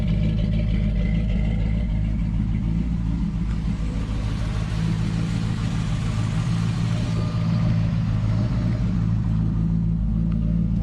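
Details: Ratty Dodge Charger with 600+ hp 505 stroker V8, first start of the build: deep, steady V8 rumble with no miss, knock or rattle; sounds like a healthy engine.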